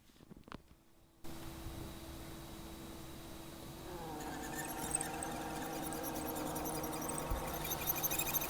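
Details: Accurascale Class 60 model locomotive, out of the box before lubrication, microphone placed next to the loco: thin steady high squeal over the motor hum, growing stronger as it runs; a dry, unlubricated drivetrain, a common squeak on these models.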